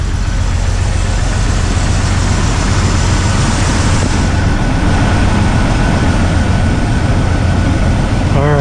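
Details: 2000 Jeep TJ that died while driving, after replacing a wrong 10A fuse with a 20A in the O2 sensor fuse slot: loud, steady, even low rumble with no misses; starts and idles normally.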